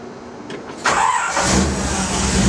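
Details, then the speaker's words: 1956 Chevy after FiTech EFI install: key released immediately as the engine kicks over; brief starter crank, catches within a second and settles into an even, steady idle, a clean normal start. "So I'll show you how I start the car and how I let go of the key immediately when it kicks over."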